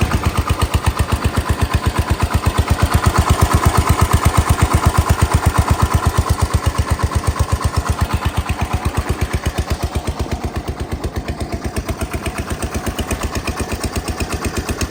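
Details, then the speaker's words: Massey Ferguson 16 single-cylinder engine at mid-throttle: even thumping about 170 firings a minute, sounding like idle; full throttle sounds like mid-throttle, throttle cable adjustment suspected. "Yeah, I think I gotta play with the throttle cable adjustment because that's mid-throttle. That sounds like idle."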